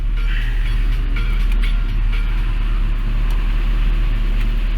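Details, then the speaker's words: Peugeot 306, engine cold before High-Gear remetallizing oil additive: steady low drone with no dips at a fast idle, stated as over 1,000 rpm instead of a normal 900 rpm, abnormal. "le moteur il est bien froid, on voit bien. Et là en ce moment il tourne entre 10 000 quoi, un peu plus que 10 000 quoi. C'est anormal quoi. Normalement il doit tourner à 900 tours par minute quoi."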